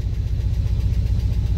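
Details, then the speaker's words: V8 pickup truck after fitting a replacement part: deep rumble with an uneven, lumpy exhaust pulse and backfiring on throttle; still running rough, owner suspects the EGR valve, which has been replaced by a blocker plate. "Oh, cool. Well, I guess that wasn't the problem because it's still not running right. It's backfiring when you give it throttle."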